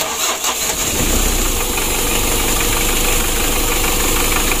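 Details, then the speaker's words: Freshly rebuilt 2017 Mitsubishi L300 diesel, first start after glow plugs preheated: catches immediately on starter without cranking long, settles into steady, even clatter, no misses or odd knocks, oil light goes out; normal diesel start and idle. "ini awal hidupnya teman-teman Ya seperti ini ya alhamdulillah untuk mesinnya sudah hidup hidup awalnya seperti ini nah ini tanpa kita skip ya langsung di starter langsung hidup"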